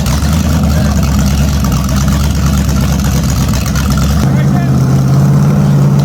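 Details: Holden HQ sedan's new 010 350 V8 run on an engine stand: deep, even V8 burble with steady firing beat and smooth rev rises; carburettor runs well, engine sounds clean and healthy, normal running.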